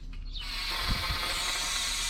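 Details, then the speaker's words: Parkside (Lidl) gas weed burner, new, gas bottle attached: steady, airy hiss as the valve is turned open and holds even; gas flowing freely to the nozzle, as it should. "So once the bottle's on, the gas isn't actually coming out of the pipe just yet. To do that, you have to turn this. So when you turn, you'll hear the gas escaping."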